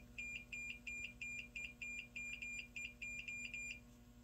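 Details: JVC X'EYE console switch bench-tested after disassembly and spring readjustment: clean, evenly spaced high continuity beeps, about three a second, in a quiet room, showing the switch is closing and conducting properly.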